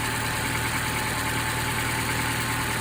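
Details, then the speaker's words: Engine at almost 6,000 miles on Valvoline Restore & Protect oil, before oil change: steady smooth idle with a faint light tick barely audible, less ticking than on previous Supertech oil; running normally. "This does less of that ticking noise. It's hardly hear it. But, it's running smooth."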